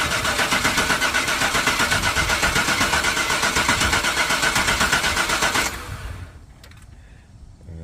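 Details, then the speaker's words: 1995 Chevy Suburban after a new gas tank, fuel pump and fuel lines, with only about two gallons of fuel and a battery that sat disconnected for a while. The starter churns at an even four beats a second for nearly six seconds with no fire, because the empty lines are still priming. "I know we gotta crack it a couple times because it was nothing on the lines"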